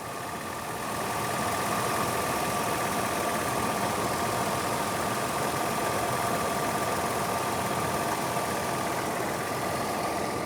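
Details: 2001 Nissan Pathfinder LE, VQ 3.5L V6, under the hood: steady, even idle with a smooth mid-pitched hum and no knocks, misses or hunting. Healthy idle.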